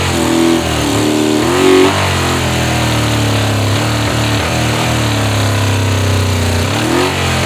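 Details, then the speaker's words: 1985 Honda VF500F Interceptor. The engine revs up and sags unevenly, hunting and stumbling, and keeps running only while fuel is sprayed into the intake. "so i sprayed a little bit too much fuel in here you know just revving it up trying to keep it running and uh catches on fire"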